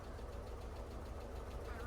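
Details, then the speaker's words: 1989 VW Fox, fuel injected manual, sat about eight years, warming up at rough idle while clutch is slowly let out: faint whirring rub on top of idle; owner identifies worn throw-out bearing. "Now you hear that throw it bearing now."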